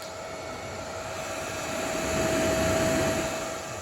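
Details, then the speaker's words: Nankadf (Wanptek twin) 120 V 3 A bench power supply, 96 W max: a steady mid-pitched cooling-fan whine swells louder, then eases; noisy fan that the owner says cuts on and off, a defect he will try to fix. "tutaj jeszcze słychać jak on"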